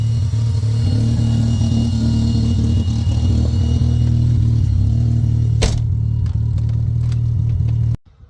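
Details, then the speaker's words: K24-swapped EK Civic with an Accord transmission and an eBay harness with an added MAF, just after its first drive. It idles with a steady low drone and an uneven, lumpy pulse: rough running, owner suspects limp mode and a vacuum leak. "Sounds like I have a vacuum leak now. Uh, who knows what else. So, it's running."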